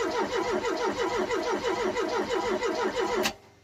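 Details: Ford Cortina cranking evenly at about three turns a second with no firing, then the starter stops; fuel system being primed after a brand-new fuel pump was fitted, fuel just reaching the filter; cranks but does not start.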